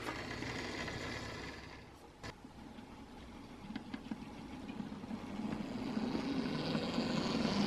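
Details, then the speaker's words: Lima OO-gauge Class 73 model locomotive after full service, running slowly on track: light even whirring with odd rail-joint clicks, building with speed; smooth slow running expected to improve as oil and grease work in. "first of all how's that for slow running not bad for lemur and that will only get better as the oil and the grease work in"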